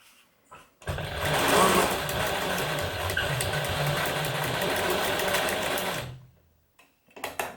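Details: Singer 107W1 sewing machine with 12-pole servo motor, after belt replacement, sewing sixteen layers of sail cloth: fast, even stitching rhythm punching steadily through thick material, no binding or labouring, possibly one skipped stitch while turning; healthy machine.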